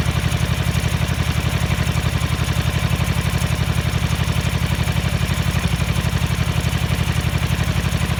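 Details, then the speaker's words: 1983 Ducati MHR bevel-drive twin, 40mm Dellorto carburettors during balancing at relatively high idle: steady thudding idle around three beats a second with a limping, one-sided feel, as if running on one cylinder; carbs out of balance. "when we had it idling relatively high you can hear it sound like it was running on one and I played with that idle screw and all sudden came right up"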